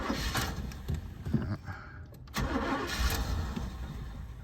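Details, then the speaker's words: 1978 Buick Electra, spring start-up, no service records, choke plate cocked slightly open: slow, heavy cranking in uneven bursts, laboring without catching; ignition suspected not 100%, cause not confirmed. "Funny thing is, it sounds like it's laboring. Like the ignition just isn't 100%. That sounds very, very strange."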